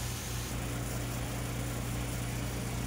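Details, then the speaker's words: Best Choice Products portable twin tub mini washing machine spinning scrubs: even low hum, steady drone, no thumping, rattling or vibration; quiet, balanced normal spin, no end-of-cycle alarm. "I just wanted you to hear it no vibration it's pretty quiet so there's no alarm like your home there's no ding when it's done it's just done"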